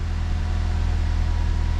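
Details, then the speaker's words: 2006 Nissan Frontier 2.5 after ignition coil replacement and clearing codes: low, even, steady idle with no shaking or misfire (it shook at start before); check engine light gone, so the coils appear to have fixed it. "But I mean, before, when I would turn it on, it would start shaking right away, and right now it's pretty steady. So I think that fixed the problem."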